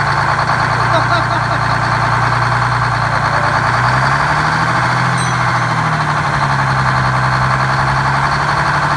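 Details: GM 4104 bus diesel two-stroke, revived after about nine years sitting, with four stuck injectors freed and a bad starter replaced: loud, steady low drone holding an even idle, no misses or knocks, smooth rumble; normal idle.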